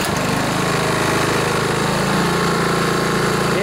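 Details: Honda Harmony HRB215 lawnmower after carburetor cleaning and governor spring crimped to rev higher, previously started then died: engine runs steady and even with no surging or dying; sounds healthy.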